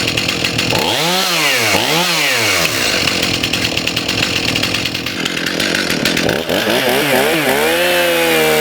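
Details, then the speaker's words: STIHL MS291 chainsaw after carburetor adjustment, screws about 1.5 turns out, high speed trimmed in slightly: crisp rise and fall on throttle blips, clears to a steady high scream, idles on its own; normal, responsive running. "Let's do a quick start here. Idles on its own. Very responsive."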